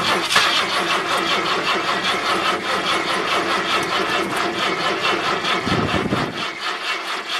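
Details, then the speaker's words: 1978 Ford LTD at about -10°F, battery on charge: slow starter cranking about 2.5 beats a second after ether sprayed in, one dull pop, never catches; cold no-start. "well I got a little bit of a pop out of it"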